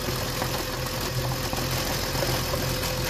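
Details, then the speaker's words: BMW M54 petrol engine at idle with a new, working crankcase breather, dipstick tube opened: a soft slurping hiss from the tube and a slightly uneven idle. This is normal crankcase vacuum. "Teraz odetkam, będzie słychać siorbanie. I silnik dodatkowo nierówno pracuje."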